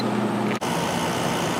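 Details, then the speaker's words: 1996 Holmes 5200 BTU window air conditioner made by WCI, LG compressor, fan on low, after running a while: steady even hum, no knock, rattle or squeal; compressor quieted down, drawing 4.52 A and 450 W; normal running. "Compressor's nice and quiet now. And we're at 4.52 amps and 450 watts."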